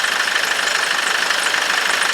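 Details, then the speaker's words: 2006 Nissan Navara diesel that had spluttered and stopped, no diesel in the system, running after the fuel lines were bled: fast, even diesel clatter at idle with a steady beat and no stumbles or knocks, some blue smoke; normal idle, injectors seem fine. "hey pumping out a bit of blue smoke but that's nothing to worry about take it for a drive but sounds good"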